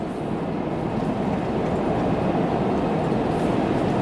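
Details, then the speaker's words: Ram front differential on road test at cruising speed after rebuild with new bearings and gear oil (earlier grinding from front axle); steady even road roar, no whine, howl or grinding, sounds healthy. "see yeah I don't hear nothing I think we're good guys"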